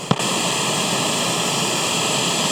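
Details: Late-1960s Concord F400 Japanese stereo cassette recorder on play with volume wide open: loud steady hiss with no program audio, a noisy germanium transistor.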